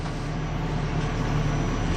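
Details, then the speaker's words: Ford Crown Victoria V8 idling with freshly installed spark plugs: deep, uneven exhaust beat skipping irregularly, an intermittent misfire suspected from a plug gap bent too close or fouled. "see that that's an irregular misfire that means that somebody didn't gap the spark plugs or one of them has got a gap that's bent a little too close"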